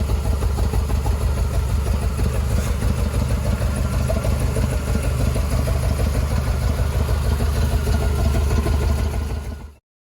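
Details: 1977 Jeep CJ7 with 350 small block Chevy and Holley Atomic EFI TBI, suddenly sputtering with power loss: uneven loping idle, irregular lumpy beat about three per second, cause unknown (timing chain questioned).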